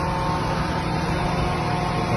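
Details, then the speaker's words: Honda Accord at idle after the cylinder 2 ignition coil misfire fault was fixed at the plugs and coils and the code cleared; check light off, a steady, even hum with no stumble or shake, so the engine no longer shakes. "see the engine is not shaking again like that."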